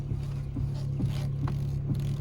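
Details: Fiat 500 idling as the steering wheel is turned sharply left and right: dull clunks about twice a second from a worn intermediate steering shaft; replacing the shaft removed the knocking.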